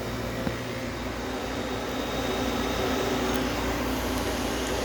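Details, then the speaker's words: Homemade air conditioner, first start-up at about 75% complete: small compressor runs smoothly with a steady, even low hum and faint constant tone, no knocking or rattling; about 155 high side, 50 low side, TXV not yet adjusted; normal running. "compressor runs nice and cool"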